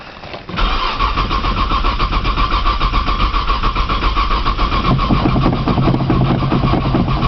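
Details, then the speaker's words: 1995 Nissan Maxima, 210,000 miles, push-button start, in snow and cold, new battery; starter churns with a steady even rhythm for seconds, never catching; owner suspects a bad sensor and tries priming with fuel; crank, no start. "I think it's got a sensor sensor bad or something try priming with fuel again man she does not want to crank today"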